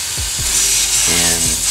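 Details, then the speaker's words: Turbo boost leak test, intake pressurised to about 15 psi via tester on turbo inlet: loud steady hiss as pressure drops off quickly; sizeable boost leak traced to a leaking aluminium washer on a wastegate vacuum line banjo bolt. "so you can hear this and this is dropping off quite a bit so that's a pretty big lead"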